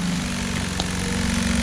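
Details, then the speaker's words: New 12V pump on 100L lawn tractor sprayer trailer, first run after new wiring harness; steady hum with fast even flutter, motor clicking on and off several times a second, cause unknown. "The thing that I'm not crazy about is that the motor seems to be clicking on and off multiple times per second."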